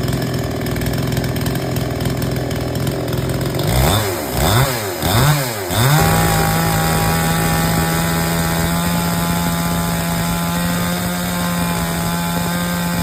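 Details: Chainsaw that would not take load, after H/L screws set fully in, then out three turns. A few blips, then a clean, steady high pitch under load without bogging or surging: normal running under load.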